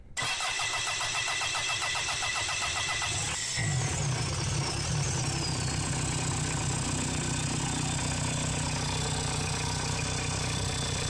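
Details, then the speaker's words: Mitsubishi Delica 4M40 2.8L diesel, a scrapyard engine started outside the vehicle for the first time after wiring, glow plugs, priming and air purging: cranks evenly about three seconds, then fires and settles into a steady run; normal start. "engine fired up and running sweet"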